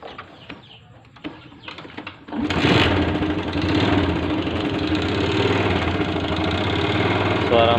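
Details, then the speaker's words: 2008 MX 4-speed motorcycle, original engine and exhaust: starts and settles into a coarse idle with a faint steady tapping about four per second; seller says engine knocks slightly (ngelitik) and needs service. "Suara mesinnya kasar, perlu diservis."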